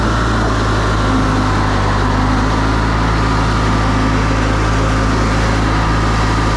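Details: Older Briggs & Stratton Sentinel by Murray ride-on mower after starter drive gear replacement, cutting and driving: deep, steady drone at even speed, no surging or misfires; running healthy under load.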